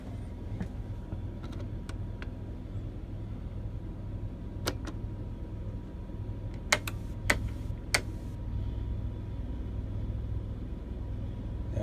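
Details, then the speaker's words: Onan Marquis Gold 5500 RV generator (model 5HGJAAB), previously stalling after running, after fuel pump replacement, cover on: steady even low hum, no surging or stumbling, few nearby clicks, while carrying air conditioner, probable battery charging and fridge; normal running under load. "so the air conditioner just came on batteries are probably charging and the fridge is also on which has been off for a while now"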